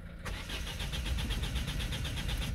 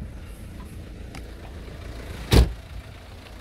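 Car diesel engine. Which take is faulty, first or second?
first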